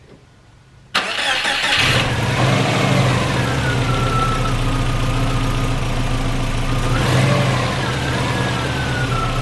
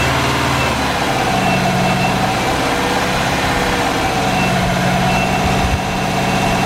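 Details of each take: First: Subaru with a newly installed engine, first start after oil pressure was confirmed: starter spins briefly, then a steady idle with a faint hunt. Sounds healthy. Idle trouble is suspected to come from injector scaling; cam break-in was done afterward. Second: Subaru with newly built engine, first start after oil pressure confirmed, cam break-in: steady idle whose beat wavers slightly; unstable idle, owner suspects injector scaling needing a tuning tweak.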